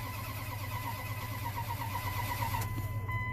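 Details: 1998 Dodge Ram 1500 crank no-start with SCI bus communication issues, new crank sensor fitted after the old one shorted, ASD power drops out, weak battery on jumper cable: starter churns at a steady rhythm with a weak electrical whine but never fires; no crank sensor signal.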